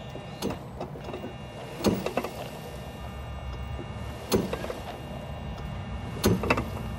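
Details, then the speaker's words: Yamaha G29 electric golf cart, seat removed: motor hum broken by sharp clunks when backing off the throttle, from a worn input shaft bumper to be replaced; a click is only the solenoid. "now to repair the clunking it's an input shaft bumper is what we're going to replace here"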